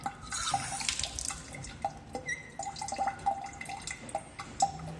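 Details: Faucet that keeps dripping: irregular drips with short squeaky whistle tones between them; suspected aged, stiff rubber washer or faulty ceramic valve, not confirmed.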